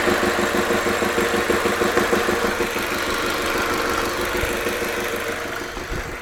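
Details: Audi A3 1.8T 180 hp at idle: steady tuc-tuc knock about three per second, evenly spaced over the hum; abnormal engine noise of unknown cause.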